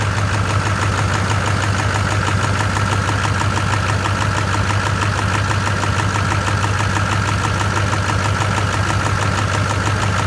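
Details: LB7 Duramax after new heads, Bosch CP3 and gaskets: steady diesel idle with a hard regular knock each cycle over the clatter; combustion knock, suspected bad injector cups, unconfirmed.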